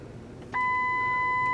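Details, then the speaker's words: 2005 Ford Explorer Limited 4x4 on gravel during a test drive: selecting 4x4 low gives one clean chime and click with no grinding; four-low engages normally. "Alright, you can hear it click into that. Yeah, that works really good as well, and that's one you probably won't use a lot unless you're pulling something really heavy."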